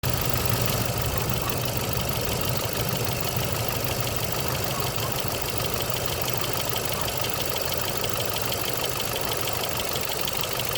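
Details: 2.9 Vortec petrol engine at about 69,000 on the clock idling with a light, quick lifter tick, about three a second, riding over the hum.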